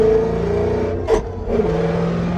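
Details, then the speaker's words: Car with ongoing issues (suspected stuck-open injector, white smoke on downshift): engine note drops for shift, harsh rasp as gear engages; second grinding for the first time, third gear consistently grinds. "So, second, for some reason, made some weird sounds, but third for sure is munching down."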